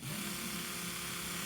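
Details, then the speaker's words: 1975 Mercedes 280SL (R107), D-Jetronic low-pressure Bosch fuel pump, first start in years, relay bridged: even steady high buzzing whirr with no stutter or pitch change; pump motor running, though not yet pumping fuel. "so let's see what happens if I turn the pump on. You can hear the pump running."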